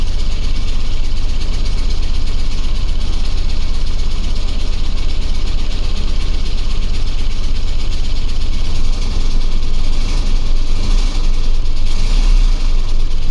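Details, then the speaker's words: OBS Ford crew cab truck engine, fresh battery, oil pressure and battery voltage fine; rough idle with deep heavy thudding knock about every third of a second, suspected bottom-end knock, unconfirmed. "the oil pressure looks fine the battery voltage is fine everything looks okay it just sounds like it wants to not be in the engine bay anymore"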